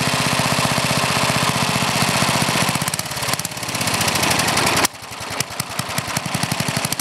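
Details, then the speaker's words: Older Briggs and Stratton, one-piece Flo-Jet carburetor, high-side mixture: idles great, but rough uneven beats about four a second stumble and sag on throttle with black smoke, trying to flood; main mixture too rich. "again you can see it idles great but as soon as you get a throttle it starts chugging black smoke running to rits trying to flood out"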